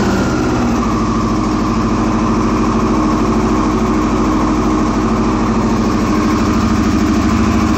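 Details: 2001 Yamaha R6: steady idle with an uneven, lumpy pulse and slight hunting instead of a smooth even beat; rough idle, cause not stated.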